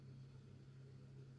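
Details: Artillery Sidewinder X2 extruder after replacing the stepper motor with failed bearings, the small extruder bearing and the plastic gear, printing with a 0.6 mm nozzle; steady low motor hum, no clicking or skipping, feeding smoothly and healthy.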